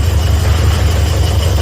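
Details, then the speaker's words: Toyota Vios with 1NZ engine that shakes and can't hold idle: low lumpy idle with uneven pulses and repeated stumbles. Rough idle. "เงียบนิ่งแต่ได้ยินเสียงสะดุดตันหยุดๆๆนะจุ๊บๆ"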